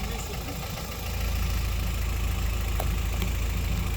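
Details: Honda F20B wagon that misfires at idle only when cold and smooths out with throttle, with valve lash issues: low, steady idle that firms up after the first second, with an even beat and no stumble; it sounds normal.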